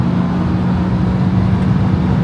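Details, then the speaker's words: 1994 Acura Legend LS V6 after head gasket, timing belt and water pump replacement, now firing on all six cylinders: strong, steady engine roar pulling hard under acceleration, with no misfire or knock; runs like new. "well we made it back home from the shop this thing is running good and it is pulling hard this thing feels amazing"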